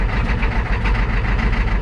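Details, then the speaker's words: 1987 Ford F350 6.9 IDI diesel just after replacing injector return caps, o-rings and lines, held near 1000 rpm in neutral: lumpy, hunting clatter with uneven beats; rough idle from air still trapped in fuel system. "a little stumbling I'm holding her around about a thousand probably hear how stumbles she is"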